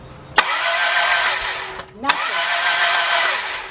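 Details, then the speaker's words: 2002 Dodge Stratus 2.4 DOHC, cranks but won't start: the starter spins fast and uneven with no firing or compression rhythm, and both top cams didn't move while cranking, confirming a broken timing belt. "Yep, 2 on the top. They didn't move at all. All right, so that means we definitely have a bad belt."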